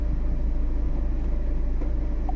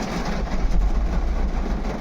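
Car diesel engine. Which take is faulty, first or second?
second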